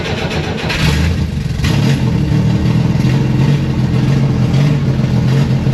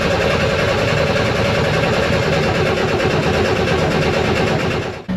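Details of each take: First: Rear-engine car that ran out of gas, restarted with a jump-starter pack after cranking to draw fuel through an eight-foot line from the front tank. It runs, rising and falling through clean revs without misfiring: normal running. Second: Vehicle towed in for a no start after running out of gas, cranked with a jump starter to draw fuel through an eight-foot line from front tank to rear engine: steady fast cranking churn with no firing; cranking without starting, fuel starved.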